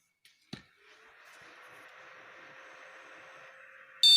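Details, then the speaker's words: After reinstalling the RAM correctly, the motherboard buzzer gives one short, clean high beep after a faint hiss and the monitor turns on; the normal single-beep POST. "Nah, itu normal dan monitor menyala."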